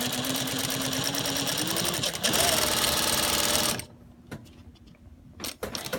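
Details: Juki DLN-415 sewing machine with servo motor at mid-range speed: a high steady whine over needle clatter from inside the head near the stitch length dial and feed control lever; not belt rubbing; exact source unconfirmed.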